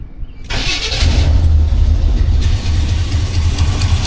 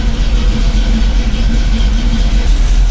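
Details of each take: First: Cold start during Holley carb choke testing (the 1985 C10 or the Suburban just checked): the engine catches, then a loud low puff at each firing pulse over the idle; a recurring exhaust leak has returned. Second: 1985 Chevy C10 cammed V8 with new Holley 4160 Street Warrior 600 CFM electric-choke carb, cold start after sitting hours, choke closed, fast idle turned down: deep even rumble, no misses or knocks, clean cold idle; normal.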